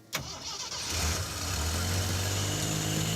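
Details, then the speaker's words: 4x4 AMC Pacer with a loud fuel pump: brief crank, then it catches cleanly and idles down smoothly and evenly. Normal start and idle, though it has some clutch noise and an exhaust leak. "It's so good. Like new, Yeah. and it's idling down as it should."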